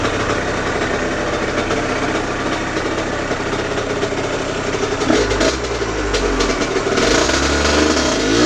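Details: Aprilia RS50 frame with YZ85 two-stroke engine on stock clutch, springs and jetting, clutch basket ridges shaved: uneven buzz, revs sag and stumble as drive takes up instead of pulling, bogging under load; owner suspects tuning.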